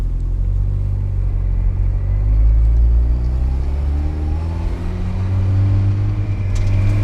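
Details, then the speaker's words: 2005 Mazda Miata, first drive after turbo kit install: deep steady rumble rising smoothly with revs, no knocks or rattles; a little turbo whoosh at only about 3000 rpm, spooling cleanly. "that was only like 3000 rpm you heard a little shoo so i mean i'm hyped on it"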